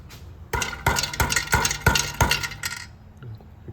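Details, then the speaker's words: 2016 Kia Soul with P0420, P2187, P2192 and no power, on a lift, manifold catalytic converter shell struck: sharp metallic clinks, loose pieces jangling inside; broken converter internals clogging the exhaust, replacement needed. "You can hear the rattling. That means the pieces of platinum inside the converter broke and are clogging up the exhaust."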